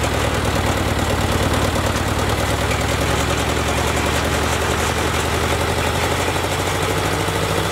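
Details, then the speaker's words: Ford Jubilee tractor at idle just after a carburetor swap: even, steady low idle with a regular beat and no stumbling or misses. Runs smoothly; it had been stalling under load before, and the carb adjustment screws may still need tuning. "sounds pretty good she was stalling under a load before"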